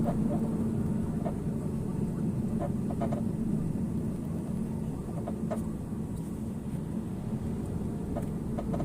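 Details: Porsche 987 Cayman on the road: quiet hum with scattered sharp creaks and ticks at irregular intervals from front right, recently started; source unknown.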